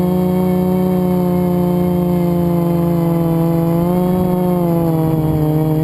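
A high steady motor whine shifts slightly with throttle and has a faint rough edge; it fits a worn motor bearing.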